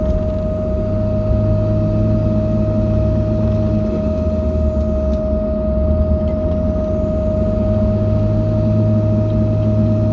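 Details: 2005 Dodge Ram 2500 4x4 Cummins diesel running with a steady mid-pitched humming/squealing whine over the low rumble, with no change in rhythm; the source is undetermined.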